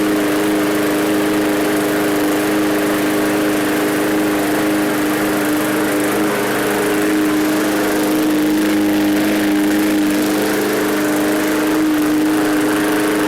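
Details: Free roadside MTD push mower with low fuel and air box refitted: loud, steady high-pitched drone at one even speed with no surging, misses or knocks. The mower engine runs smoothly.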